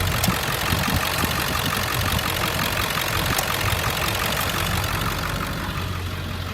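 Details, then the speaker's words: 2003 Ford F-550 XL, 7.3 L diesel, automatic, 129,152 miles, warm after about 30 minutes of running: a steady, even diesel clatter with a deep solid rumble, no misses or odd knocks, and it revs up nicely; a healthy idle. "Engine sounds great. I'll rev it up a little so you can hear it."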